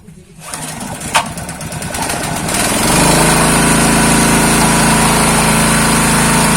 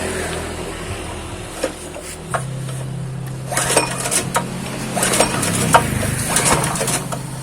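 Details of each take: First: Honda GX160 water-pump engine, long idle and previously seized and low on compression, after pump priming: cranks, catches within about three seconds and runs steady and even with no misses or knocks. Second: Honda GX160 engine seized after years unused, restarted with choke closed and oil primed through the spark plug hole, compression lost: repeated pull-start rasps with brief putts; hard to start, smokes, dies on throttle, jet likely dirty.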